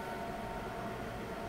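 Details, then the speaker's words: PC with an overclocked Intel Xeon W-3175X at 4.3 GHz, fans set to maximum, just started, recorded with a lavalier mic placed above it. A steady heavy whooshing roar with faint whistling and no rhythm; loud fan roar at full speed. "Voilà, elle vient vraiment de se mettre en route. On est sur quelque chose de absolument énorme au niveau du bruit."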